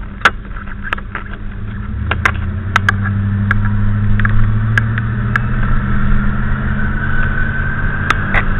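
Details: Stock 1985 Monte Carlo SS, 23k miles, 305 with 200R4, 3.73 limited slip, about 2400 stall converter: low steady whine rising in pitch pulling away, only in straight-cut first gear.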